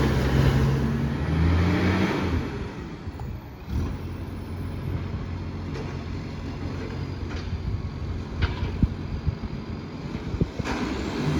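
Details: Garbage truck SL01400 in Mandurah on Good Friday, deep loud diesel roar with raspy low-end blare swelling as it pulls away; massive exhaust leak.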